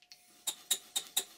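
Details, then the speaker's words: Stuart 5A model steam engine bought online, running after crankshaft bearing cap refitted: sharp light metallic clicks about four a second, one per revolution, from a very sloppy connecting rod small end in the crosshead. "this is a shot of the small end of the connecting rod and as you can see it's very sloppy in the cross head but the engine runs"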